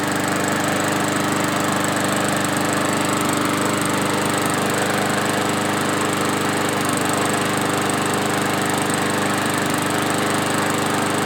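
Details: Yard-Man push mower, previously surging after sitting at least two years, after carb cleaning, new parts and blade sharpening: steady, even drone at constant speed, no hunting or surging; running smoothly and healthy.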